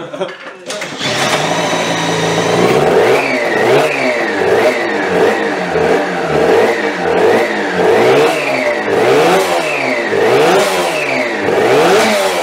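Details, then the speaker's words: 3D-printed, fuel-injected TST100 two-stroke race engine at first start, no radiator fitted: rough revving with a thin whine rising and falling with each blip, from primary gear-to-clutch mesh set too tight; laggy, over-fuelling off the pipe. "So, you'll probably hear or you probably already heard in the videos there's a bit of a whine to it that it shouldn't have."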